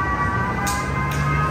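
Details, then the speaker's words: Cataract surgery, irrigation and aspiration handpiece vacuuming the soft outer lens shell: steady clean high electronic tone whose pitch rises as vacuum builds at the instrument tip, showing infusion and aspiration; normal operation. "when you hear the pitch rise to that device that means that there's more vacuum pressure being created with the instrument tip so this sound indicates that there is infusion and aspiration through this instrument"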